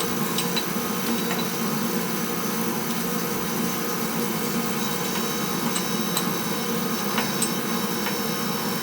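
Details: Steady, even oil burner roar with no surging or sputtering, light tapping in background; burner fires smoothly with good fuel flow after bleeding air from the pump.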